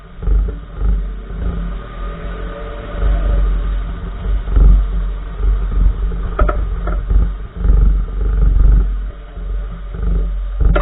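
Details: 2014 Nissan March, recorded inside while driving: heavy road rumble with occasional sharp clunks from the right front wheel area over bumps; the source is unidentified.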